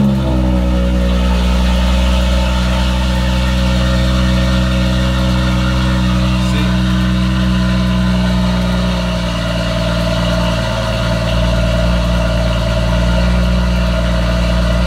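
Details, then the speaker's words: BMW M140i B58 after heat exchanger replacement, during coolant bleed: steady fast idle held around 1100 rpm with smooth drone and cooling fan rushing as second fan starts and cold start ends; running normally. "now the other fan started and the cold starts gone off it's still held at around 1100 RPM"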